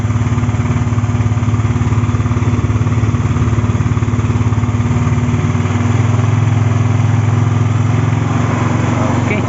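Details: MiO Sporty scooter that would not start, traced to a wiring problem with a loose connection (CDI involved): an even, steady putter of about three beats a second with no misses or knocks, idling smoothly.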